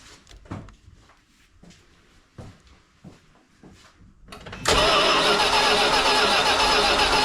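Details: 1978 Dodge Diplomat V8, sat in storage since 2007, after converting the Lean Burn ignition: several clicks and clunks, then it fires and holds a steady, even idle without misses, about 750 rpm with timing at 10 advanced; normal start and idle.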